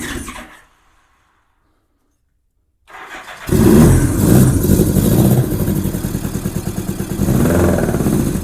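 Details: 1987 Honda GL1200 Goldwing, first start in years, cold, given a little throttle. It cranks, catches, then runs a rough, surging, pulsing idle that won't settle, smoking slightly. Owner suspects poor fuel supply; the carburetors need cleaning.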